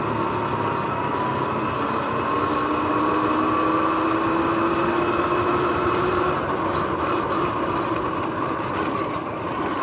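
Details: Sur-Ron X electric bike on an early evening ride, before the noisy bearings were replaced: a steady whirring whine over the motor hum climbs slightly in pitch with road speed, from worn, noisy bearings.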